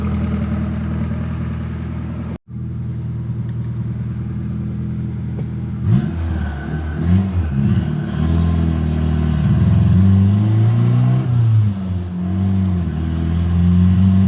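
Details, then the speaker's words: Turbocharged Honda Accord F23 petrol engine with a bad coil pack: uneven, missing idle that stumbles and wavers when revved; it breaks up entering VTEC, and swapping coil packs between cylinders made the misfire follow the coil. "Hell, it's missing at idle. It's missing everywhere."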